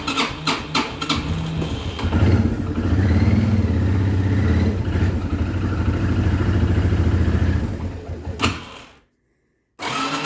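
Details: Cold hard start on a China-made Access 300 quad: engine catches after a few uneven cranking bursts, runs lumpy and low for several seconds, then dies out.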